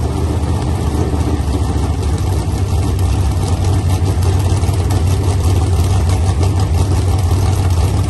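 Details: Freshly built 383 V8 for a 1970 Camaro, first firing on an engine stand with electric fan, after a plug was found not connected: deep, loud rumble holding an even idle with no misses or stumbles; runs properly.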